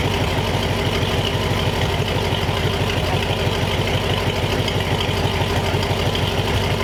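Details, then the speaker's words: Replacement flathead V8 (35/6 block) for 1934 Ford on a run stand, idling to temperature, 185°F after 22 minutes without overheating; even steady low burble, no misses, knocks or ticks; normal idle. "all right so after i don't know 20 minutes half an hour of running the thing it did really well"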